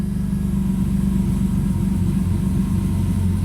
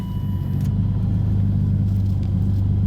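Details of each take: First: 1998 BMW M3 E36 3.2L straight-six, aftermarket supercharger, 5-speed, codes P0170/P0173, stalling and power loss: warm idle sags and surges, nearly cutting out with no misfire beat; idle hunting from a vacuum leak at the idle air hose. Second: 1998 BMW M3 E36, 3.2L straight-six with aftermarket supercharger, codes P0170/P0173, stalling; cold start after cleaning MAF, warming toward closed loop: deep even idle with steady beat, no misses, hiss or ticking, normal idle.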